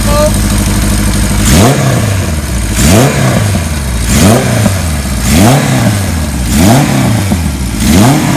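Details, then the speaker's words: 1977 Kawasaki KZ1000A engine just fired up, no smoke, blipped about every 1.3 seconds: light metallic top-end chatter from slop in the cam chain; worn idler rubbers suspected. "We've got a little bit of cam chain noise. I don't know if some of the rubbers might be worn where the idlers go, whatever. But there's a little bit of slop in the cam chain."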